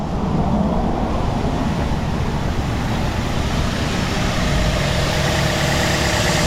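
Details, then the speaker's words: Car idling after throttle body and mass airflow sensor cleaning, steady even hum about 800–900 rpm, no stumble or shaking; normal idle. "you go turn like a kitten shaking everything's gone it's probably around 8 900 rpm like it should be right"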